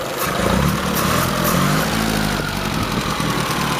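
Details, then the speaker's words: 1923 Fiat 501 with new exhaust fitted, running but not yet warm: old engine idles evenly with a light, busy rattle on top; valve train rattle at idle, final valve adjustment planned. "going to do a final valve adjustment it's a little bit bit it's happy bit rattly now"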